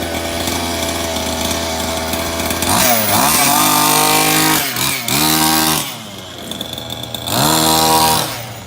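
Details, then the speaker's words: Maverick MT nitro RC truck after replacing a broken clutch spring, test drive: high-pitched buzzing engine revs up and drops back cleanly several times and pulls away smoothly; engine and clutch working normally, repair fixed. "ah there we go beautiful fixed it bad boy back on the road again"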